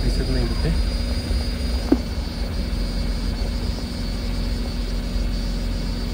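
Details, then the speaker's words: Tata Nexon after fuel pipe replacement, started to check for leaks; even low engine hum with steady idle rhythm, no ticking or misses; normal idle. "चालू करून बघूया. याचा आवाज येईल मोटरचा पहिला. झाली, चालू झाली."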